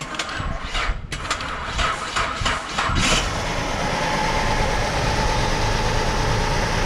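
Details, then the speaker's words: Car with an ECM fuel injector code and a shaking complaint, started for diagnosis: uneven, lumpy idle that shakes, hesitates and vibrates; misfire confirmed from a non-working cylinder 2 injector, injector circuit issue. "जैसे कि आप देख सकते हैं गाड़ी में shake है, गाड़ी हेजिटेट भी कर रही है, गाड़ी वाइब्रेट भी कर रही है। डेफिनेटली हमारा जो सिलेंडर 2 का इंजेक्टर है वो काम नहीं कर रहा।"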